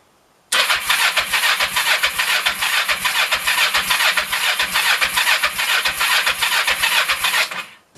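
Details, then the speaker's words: 1996 Kawasaki Vulcan 500, cold, with half choke and fuel on reserve: the starter churns at about two compression beats a second for seven seconds without catching. Owner suspects it's too cold or the idle is set too low. "little half choke here maybe at all I have the idle set too low thank you all right it might just be too cold I don't know"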